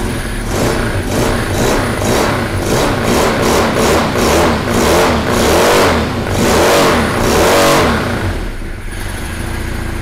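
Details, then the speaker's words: Newly built Russian 1150cc boxer (opposed) engine at first start, idle and fuel maps not yet tuned: idle surges up and down about three times a second; hunting idle, uneven injectors suspected, unconfirmed. "тихо да потому что у него плавают обороты значит где-то неровно форсунки"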